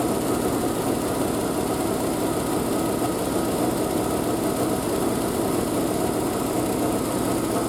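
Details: Triumph Spitfire four-cylinder after a single-carb conversion, unstarted for a couple of weeks, just after a cold start on choke with the exhaust wrap steaming. Steady, even idle with a smooth exhaust note and no misses or knocks.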